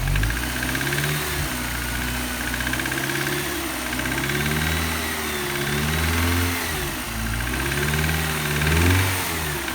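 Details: BMW M43TU after crankshaft, pump, gaskets and oil jets replaced (connecting rod reused): sharp metallic knock only at revs under load; disappears with cylinder 3 plug removed; owner suspects rod bearing or piston pin again.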